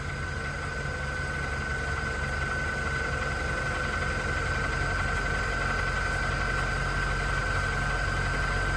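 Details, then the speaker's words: Corolla with about 262,000 miles, cold start at idle: fast, even clatter throughout; worn timing chain set needing replacement, car also flagging catalytic converter. "also needs a timing chain set in the engine and it clatters like mad as you're about to hear"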